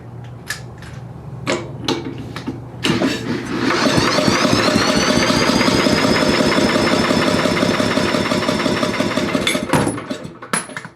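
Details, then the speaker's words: Billy Goat leaf blower, Briggs & Stratton 9.5 hp, first start attempt with hastily rebuilt carburetor primed with fuel: a few sharp pulls then a whooshing spin, no firing. Cranks but won't start; owner suspects carburetor not feeding fuel. "Okay, no kick. It should spark."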